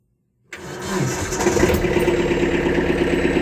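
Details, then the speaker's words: Kubota B3000 diesel tractor, fixing blowing OPC fuse: starts right away into a steady even idle with no misses or knocks; operator stands off seat with PTO off and it keeps running, as it should. "all right she's running I can stand up off the seat it keeps running"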